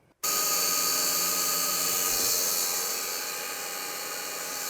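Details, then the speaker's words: Gas 1993 Ford F700 dump truck, a ran-when-parked truck, at key-on before the engine is cranked; a steady high whirring hiss is heard as the electric brake pump runs. "I think I can hear the pump [Music] working sure sounds like it"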